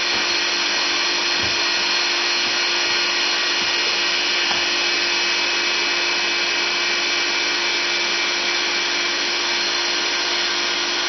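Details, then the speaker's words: Motor for rotoverter experiments, run unloaded on 3-phase in star mode on a homemade mount and drawing about 185W: a constant loud rushing hiss over a steady tone. It runs noticeably noisy, cause not identified. "but since I guess this one is making a lot of noise when it's running I will make some annotations afterwards uh on the video so I'm going turn it on"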